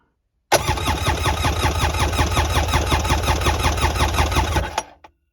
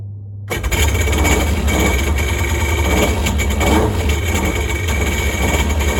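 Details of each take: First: Polaris Ficht direct-injection jet ski, revived after no spark and oil hydrolock, oil added to cylinders, compression test about 181 psi, cylinders almost identical: even cranking beats just under three per second, no gaps; healthy compression. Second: Polaris jet ski with Ficht direct-injection engine, after electrical repair for no spark and oil hydrolock; catches quickly and runs strong and steady, but won't shut off with the start/stop button because the LR 503 module is bad.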